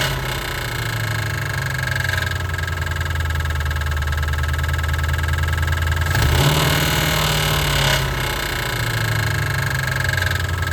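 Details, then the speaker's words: 1988 Mustang GT 5.0 V8, carbureted swap with Duraspark, just reassembled after lifter replacement: loud rough idle with uneven knock about three beats per second under exhaust; knock persists after lifter swap, cause unconfirmed. "I swear it's like it's like a bear. It sounds weird. I don't know. I'm not an engine guy. But I just knew that the lifter was gonna be it."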